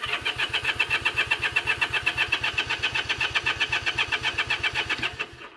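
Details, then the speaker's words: Honda CA78 305 Dream, sat 14 years, carb soaked in cleaner, throttle still seized, jets suspected: even cranking about four turns a second for five seconds with no firing. No fuel getting in, cause suspected, not confirmed. "nothing we're not getting any fuel we're not getting any in there"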